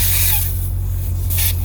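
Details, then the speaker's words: Air leak at a broken tire-inflator fitting while inflating a salvage Scat Pack's tires: short bursts of sharp hiss over a constant low hum. "Ah, no, ay. I can still hear it leaking."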